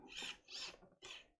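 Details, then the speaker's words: RC servo being moved by hand: three short high-pitched whirring bursts as the motor spins and grinds on something inside. The servo has failed and the teeth still feel engaged; the failed part is unknown and it needs replacing. "you can hear it grinding away on something in there so i don't know it was defi"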